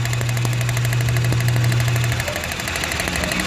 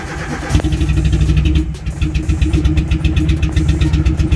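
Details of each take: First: Renault K4M engine (Nissan Platina/Clio 2) that starts then stalls, engine running with each ignition coil lifted in turn: sharp regular snapping ticks over the engine; strong spark, coil firing properly. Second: Nissan Platina / Renault Clio 2 K4M engine on start: catches, then idle lurches and pulses unevenly, nearly stalling unless throttle is held for about 15 seconds and still unstable; misfire from failing ignition coil, fuel pump confirmed working.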